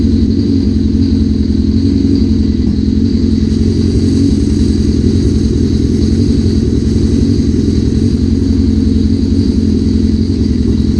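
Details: 1981 Suzuki GS650GL four-cylinder, first start after rebuild with new battery, plugs, oil, filter and pod filters: even idle held a little high on choke, firm regular exhaust pulses, no misses or knocks; a small carb fuel leak is suspected.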